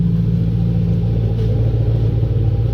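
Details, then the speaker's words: Audi B7 S4 4.2 V8 with a straight-pipe exhaust, about 25–30k miles on the motor and 200k on the body: a loud, deep idle burble, steady and even, with no misfires. "I mean you can listen for missfires on my car there's none"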